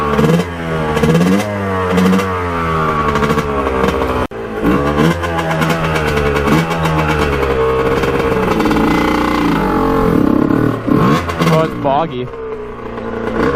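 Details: 1989 Kawasaki KX125 two-stroke, pilot jet cleaned earlier, first ride after warm-up: blips rise sluggishly and hesitate off low revs, flat and boggy before picking up; cause unconfirmed.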